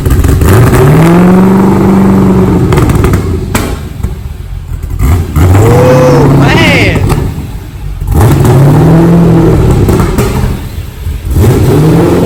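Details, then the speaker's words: LS V8-swapped wrecked Mazda RX-7 FD, first cold start after rebuild, no radiator or cooling system fitted: deep lumpy burble through several quick revs, returning cleanly to idle; strong-running, though running kind of rich with flames and smoke likely from WD-40. "But I'm so happy to have it starting, and it sounds amazing. Sounds like a mini Corvette."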